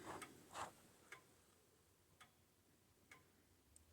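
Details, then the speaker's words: Old-style grandfather clock after turning the beat adjustment: quiet tick-tock about two beats a second in a still room, evenly spaced; clock now closer to in beat. "tick talk tick talk tick talk sounds like that's a little better in beat now"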